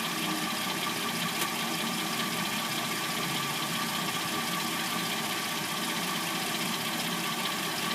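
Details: 2006-09 Hyundai Sonata with replacement engine, first start after sitting overnight, noise appears once warmed: busy, dry top-end clatter at warm idle, irregular at two to three a second; owner assumes timing chain.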